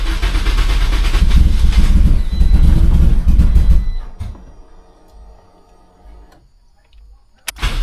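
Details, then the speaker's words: Turbo Toyota Corolla after fuel pump work, fuel primed several times, no check engine lights: loud rumble for about four seconds that falters and dies; catches briefly but won't stay running, owner unsure why. "dang, it just doesn't want to stay running. Yeah, I'm not sure why. Like, it sounds like it's like so close to starting and then it just doesn't want to start."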